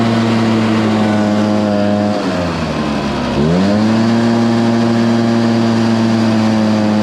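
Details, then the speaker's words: Stihl BR430 two-stroke blower, restarted after sitting a few days on choke and primed with little fuel. Its steady high buzz sags sharply for about a second, then climbs back as it bogs under throttle. The owner suspected the tank vent, but opening the tank ruled it out, so a carburetor rebuild is next. "I want to check and see if the vent's bad is that the reason why it's barging down"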